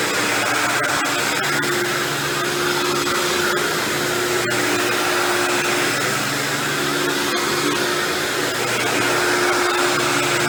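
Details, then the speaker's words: Dirt Devil Deluxe 8201 upright vacuum with new bag and belt cleaning carpet: constant motor roar with rough gritty grinding from worn brushroll bearings, not the motor. "you hear that grinding noise you're hearing I'm lying down is actually just the brushroll I mean I know it's the brushroll"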